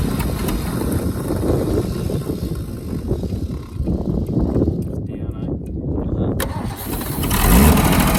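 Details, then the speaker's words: Holden FC grey motor on first start in 50 years, running with points, plugs and tune not yet checked; uneven, lumpy, stumbling beat with a few cylinders down, points suspected to be at fault. "got a few cylinders down so the points are probably a b down here"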